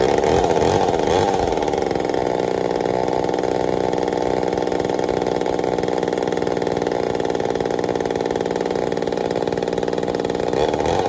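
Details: Homelite Super XL-923 82cc chainsaw test fire after tuning; loud, crisp two-stroke drone holding steady after a brief rev, no surging; a little rich on low speed, good and snappy.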